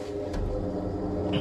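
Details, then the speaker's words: Tile wet saw electric motor runs with a steady hum and faint rough, gritty edge from noisy worn motor bearings, after a short-circuit/overload complaint; fix is replacing front and rear bearings. "just a bit noisy on the bearing on the motor here getting out you can hear the bearing a little bit rarely so to do that big job you have to take them all up replace front bearings and rear bearings"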